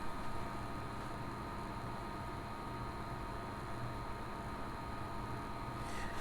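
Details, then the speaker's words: Montech HyperFlow Digital 360 AIO liquid cooler, PC at idle with pump at full speed (above 3100 RPM), microphone placed near the pump; steady even low hum with faint constant whine, no rattle or gurgle — normal pump operation. "This is at idle, but the pump is at full speed, and this is how it"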